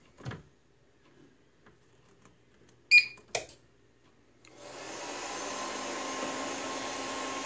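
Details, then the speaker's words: APC XS 1300 desktop UPS reassembled with the temperature sensor reconnected and the front bezel off. Clicks, then the fan spins up into a steady even hiss with no beeping: running normally on mains with no error, estimated runtime 14 minutes. "right so that's happy three mics and whatnot clearly there's no error"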